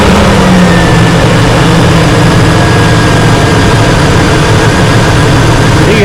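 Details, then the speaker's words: GMC Yukon after replacing the number 2 coil pack to cure a skip: a steady, even idle with no stumbles or skips; the engine now fires on all cylinders. "the motor is uh looping along here"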